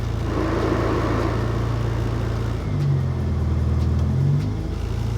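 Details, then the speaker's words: 1975 Toyota Corolla KE35: deep even idle then clean rev rise settling smoothly, no misses or knocks, rowdy exhaust with baffle in; running nice, no leaks. "yeah it's it's running nice there's no leaks it's all good"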